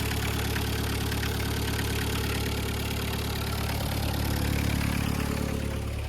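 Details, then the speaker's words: VW Caddy pickup 1.9 diesel, jump-started on a weak battery, cam belt history unknown; steady even idle clatter about 3.5 beats a second with low hum, no misfire. Normal idle, sweet as a nut. "This sounds sweet. Sweet as a nut."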